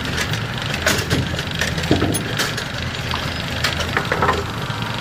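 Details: Brunswick A2 pinsetter after GB cycle linkage work, still running on a worn bearing awaiting replacement: clanks, rattles and sliding knocks over a steady hum; a normal cycle with no binding.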